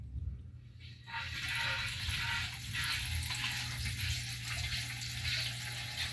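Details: Gurgling and rushing water over a steady low hum at a newly installed well expansion/pressure tank at the end of the fill cycle; system about 2 years old.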